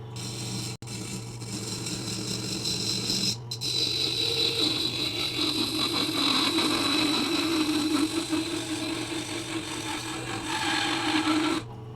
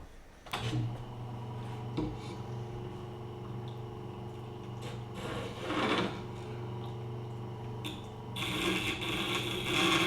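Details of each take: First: Westcott Titanium scissors sharpened on a Tormek T-8 at about 25°: steady, even hiss and hum of stone on steel with no chatter or skipping, much more pleasant-sounding than before. Finding: smooth grinding without chatter. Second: Tormek T8 grinder sharpening cheap Westcott titanium scissors in a cheap jig at roughly 25 degrees: a steady motor hum under rasping, scraping blade-on-stone chatter that roughens in spells.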